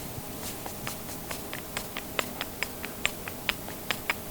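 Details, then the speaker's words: YetiSnowMX snow bike jack shaft, sprocket on the shaft rocked by hand: sharp uneven clicks about once a second, amplified in the tunnel, where a new one is silent; worn spline with play. "This has a play. That little bit of noise, guys, amplifying in that tunnel made it sound like the thing was going to fall apart on me."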